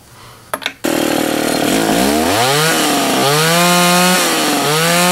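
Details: Old Remington SL-11 A chainsaw, reassembled after troubleshooting oil fouling the plug: catches after a pull, then a steady buzzing two-stroke note rising and falling cleanly with each throttle blip; healthy running.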